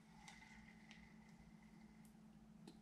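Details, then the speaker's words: Daiwa Strikeforce 2500B spinning reel after full disassembly, cleaning and lubrication to cure squeaking: quiet even whir as handle turns, only faint light ticks and no squeak; runs smoothly. "that sounded pretty good I'm pretty happy with the I guess I mean I hate to say Simplicity of it you did have to take apart the entire thing but definitely once you got in there we got a good bit of the lubricant on it it definitely works as far as I know so far"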